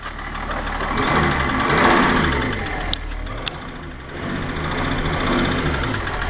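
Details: BMW E38 730d with M57 diesel: revs rise and fall with a sharp knock about 220 times a minute that follows engine speed; the source is unclear.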